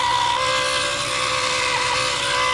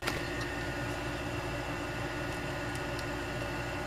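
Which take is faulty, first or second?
first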